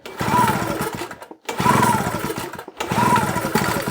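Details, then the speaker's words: Hard starting on a JCB two-stroke generator unused for a couple of years, with the throttle worked manually: three pull-cord cranks about a second apart, each a brief churning rasp that dies away without catching. "don't sound like it's really wanting to try does it"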